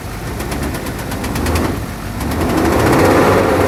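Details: 2005 Duramax LLY diesel truck, batteries near dead, cold start after sitting many months: rough idle with an uneven knocking tap that loudens near the end; check engine light on, internal cause unknown, compression test later suggests the engine needs replacing.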